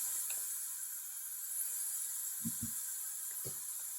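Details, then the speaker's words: 1968 Firebird replacement engine, leak-down test with about 80 psi of shop air into the cylinder: a faint, steady high hiss of air escaping, apparently past the piston rings. Rings are suspected to be worn. "Yeah, I definitely hear it coming through here, so that sounds like rings. Man, that's the last thing I wanted to hear."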